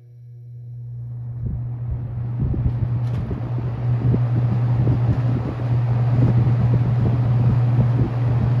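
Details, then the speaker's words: Restored ~1977 Superlectric 2083 fan, first run, on medium: steady deep electrical buzz under the airflow whoosh; owner suspects a winding that had a loose wire. "that's deep it's buzzing medum yeah one of the windings had a loose wire so it's probably that"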